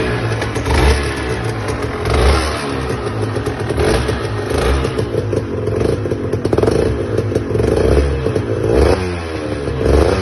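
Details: Aprilia RS 125 two-stroke idling with repeated throttle blips and a rough, clattery rasp over the exhaust; an unidentified engine noise, cause not determined.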